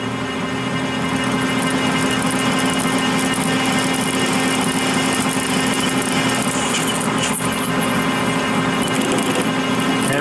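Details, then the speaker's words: Lathe parting copper at 180 rpm with an Accusize parting tool insert: steady hum with uneven rough ticking chatter as the sticky, gummy copper grabs the cutter; stopped and more lube added. "you hear it chattering that's it's ticking each time it does that"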